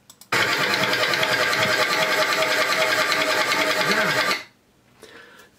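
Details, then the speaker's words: Cranking engine of a van that won't start, with a fast metallic clatter: a valve striking a piston because the overdue, badly worn timing belt jumped a tooth and is out of time; stop cranking and take it to a workshop. "cum am spus, dacă auziți acest zgomot, este o supapă care se ciocnește de un piston, așa că nu încercați să-l porniți și duceți-l la atelier;"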